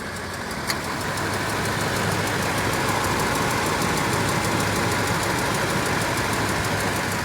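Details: 2007 Toyota Tundra 5.7L V8 at 170,000 mi, warm idle: light regular tick about four per second, mainly driver's side, following rpm; persists after Moly additive and a change from 0W-20 to 5W-30 synthetic; dealer calls it normal.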